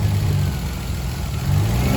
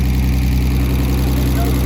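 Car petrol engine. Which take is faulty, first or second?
first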